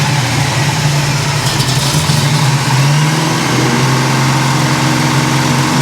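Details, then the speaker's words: 1971 Chevy Nova big block Chevrolet V8, first run in years, held at about 3,500 rpm while setting ignition timing to 38 degrees: even strong drone, no misses, knocks or rattles; normal high-rpm running, slight burnt-oil smell noted. "But if you don't like big block Chevrolet at 3,500 RPM, it sounds like a you problem, not a me problem."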